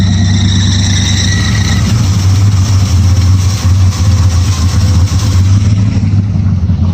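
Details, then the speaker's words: Chevrolet Scottsdale V8 after new ignition parts, running much more responsively; hard revving with a thin high squeal riding on top early on from the new accessory belts, owner thinks they need adjusting: belt squeal on revving. "I really need to get those belts adjusted like no one's business."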